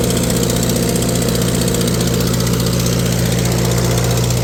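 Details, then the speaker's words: Old tractor on a PTO dyno: steady low running with a slightly uneven loping beat about three times a second; owner hears a slight miss, cause not checked yet. "Sounds like it got a little bit of a miss. Have to check into that."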